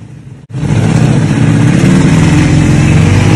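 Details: 1978 Yamaha RD400 two-stroke twin, unstarted since 1993 and carbs cleaned: after silence it catches and runs with a crisp, rapid two-stroke buzz, revving cleanly and evenly; healthy running.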